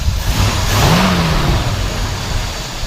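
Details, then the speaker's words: 1964 Buick Electra, not rebuilt, revved a little. Climbs smoothly through a quick rev and drops back evenly with a deep, steady note and no knocks or misses; sounds good with lots of torque, normal revving. "You know, sounds good. Has a lot of torque."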